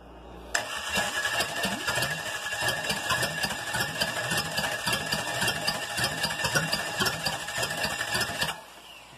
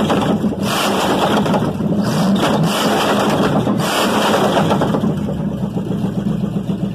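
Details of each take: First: Chevy 305 V8 on a starter, first start attempt in years with the battery running down. Starter churns steadily, about four compression beats a second for eight seconds, and never catches; no fuel in it, cranking with no start. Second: Chevy 305 V8 on engine stand, first start in years; pulls strongly and evenly through a couple of revs, no knocking or misfire, runs smooth and clean; normal running.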